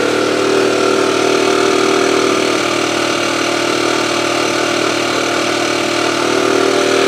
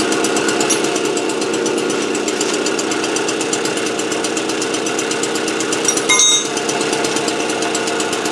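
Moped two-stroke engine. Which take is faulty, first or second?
first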